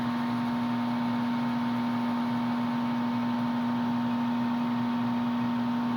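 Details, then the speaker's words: HVAC furnace that quit heating, control flashing four-flash code, flame not lighting: steady low electrical hum with faint higher tone, no burner roar; owner suspects the fan motor, unconfirmed; motor hum. "yeah that noise right there is what's bugging me I think it's the fan motor but I don't know to be honest"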